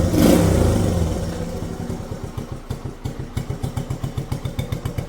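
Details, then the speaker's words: 1967 Honda CT-90, about 2,700 miles, oil leak, idling after a headlight check: brief rev-down, then an even putter of roughly four beats a second, steady and unhurried; healthy idle. "Wow, look at this thing just purring like a kitten. That is crazy."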